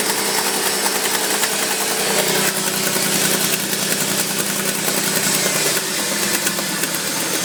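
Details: Mercedes G-Class, started cold or hot: busy, bright, irregular metallic rattle over a thin idle lasting a minute or two, then it goes away; cause unknown.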